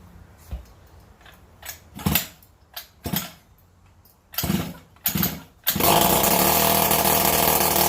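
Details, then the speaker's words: 49cc two-stroke engine converted onto a Razor E-150 scooter, choke on, makeshift fuel tank, no exhaust fitted: a few pull attempts, then a loud, raw, raspy unmuffled buzz. "okay so there's also no exhaust on it so let's see though what it sounds like"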